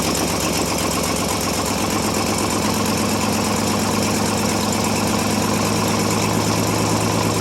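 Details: 1957 International S120 4x4 pickup old six, cold start after about four years sitting, settles into a steady, even idle with a low, regular chuff and no misses or knocks; running fine despite a sticking throttle.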